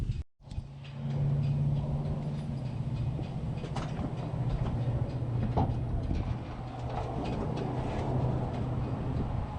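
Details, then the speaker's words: First-gen diesel truck with a P-pump, freshly started on a borrowed battery with a loose positive terminal: low steady idle with a few light clicks, no misfire or knock; sounds healthy, though it later wouldn't shut off (not a runaway). "Guys, she's ripping. She is ripping. Man, she sounds so good."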